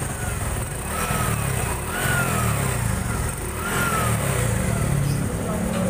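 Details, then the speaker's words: Honda Supra 125 FI motorcycle restarted after ECU reset: single-cylinder runs evenly with clean throttle blips, no limping or coughing; rough running had been caused by an incorrectly installed timing chain. "Coba kita nyalain lagi motornya, apakah masih pincang setelah dilakukan persetan. Ya, motor udah rada enakan Mas Bro."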